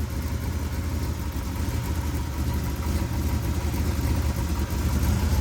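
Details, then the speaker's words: 383 V8 after rebuild and reinstall, warmed up, idling about 15 minutes with good oil pressure, some exhaust leaks at V-band clamps: even steady idle with normal sewing-machine valvetrain patter, former metal-on-metal tick gone. "the sewing machine sound which is normal but it doesn't have that metal on metal tick anymore like it did"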